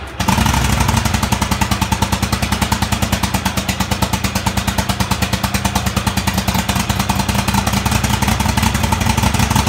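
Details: Craftsman DGT 6000 twin-cylinder engine after reassembly (new fuel line, fuel pump mounted), first run after long cranking: steady, even beat with rapid regular exhaust pulse, no knocks or misses — normal idle.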